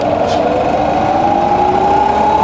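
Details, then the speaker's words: Fully rebuilt Bridgeport variable-speed milling machine, spindle in low range reverse rising from 120 to 280 RPM: smooth quiet hum with clean rising tone, no knocks or grinding; gearbox healthy. "All the way up to 280. Lovely and quiet."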